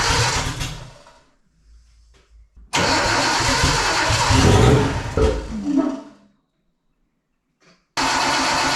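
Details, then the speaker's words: Custom car's first startup: it cranks, catches in a rough loud burst, stumbles and dies. The trigger offset was set 360 degrees off; it ran fine on the crank sensor alone, and the kill switch was also wired backwards, giving no spark. "so you all heard the first trying to fire it up and can't remember for in my mind if it actually already running for a little bit but I had some issue with some trigger setup going wrong uh it was not running right"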